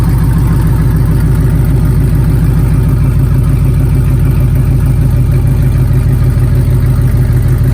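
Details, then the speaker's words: LS-swapped 1987 Chevrolet K5 Blazer after Holley EFI fuel rails, regulator, pump install, injectors pulled and O-rings replaced, pressure set around 30–32; deep steady V8 rumble, even firing, no misses, knocks or hissing. Normal idle. "we got the injectors pulled and all the o-rings swapped out fired it up set the pressure everything looks good so let's fire it up one more time"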